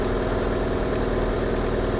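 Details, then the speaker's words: Hyundai Santa Fe Mk1 2004 2.4 L, running after coil pack replacement (spark plugs already replaced): steady, low, even idle hum with no stumbles or misses, feels smoother; normal idle. "That feels a bit smoother. Time will tell."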